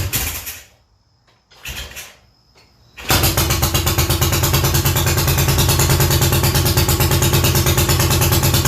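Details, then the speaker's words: Classic Triumph TR6 motorcycle that was hard to start and popping on throttle: after the ignition timing, which had been set on the wrong stroke, was corrected, it kicks over, catches at once and runs with a fast, steady, loud beat. "i can get it to start i just can't keep it running for a long period of time and i try to hit the gas it pops a lot so it's it's definitely got to be timing or it's got to be a fuel issue"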